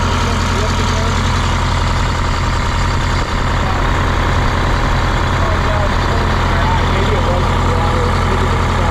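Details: 1977 MCI coach with 8V71N Detroit two-stroke diesel after freeing three stuck injectors that caused a runaway: loud, deep, steady idle with even rapid beat, no knocks or misses; good oil pressure, warming up; normal idle.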